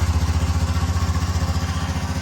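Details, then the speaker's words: Honda CT125 Postie bike at 13,635 miles, just after an overdue valve adjustment (factory interval 4,000 miles), started on the button: steady, even single-cylinder thump about eleven beats a second, no ticking or clatter; a healthy idle. "Sounds good. Time to take it out for a ride."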